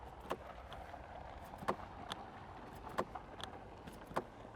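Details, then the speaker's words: Mercedes-Benz EQS 580 4Matic washer fluid filler flap actuator clicking sharply about every 1.5 s but failing to open, frozen at -12 °C; problem began at about -5 to -6 °C. "yeah it does not want to open can we pry it open yeah that is a real problem so this happened when it was minus five degrees celsius or minus six and now that is -12"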